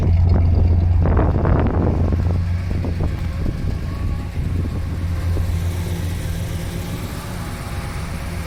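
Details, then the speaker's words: 1966 Chevy Caprice V8 at idle, heard from the rear after fitting new aftermarket OEM-design dual exhaust replacing rusted, pinholed system: deep, even burble with steady low throb, no rasps or leaks; healthy exhaust tone. "I was really happy with the way the exhaust turned out it sounds just like my old super sport that I had when I was a kid"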